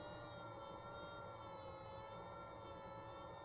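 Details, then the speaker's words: Ryobi RYI1000 1800 W power station running an electric heater on high at about 1,400 W, 76–77% charge: even, steady whir with constant pitch and no rattle or wobble; cooling fan running normally. "1,400 Watts 77 76% charge get about 28 minutes out of this listen to that fan wow so 1,400 Watts on high interesting"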